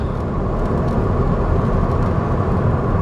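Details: 2008 VW Jetta 2.5L with intermittent misfire (P0301 cylinder 1) after new Bosch ignition coils: steady even low drone lugging in 5th around 25–30 mph, no stumble or clunk; engine pulls cleanly at low rpm.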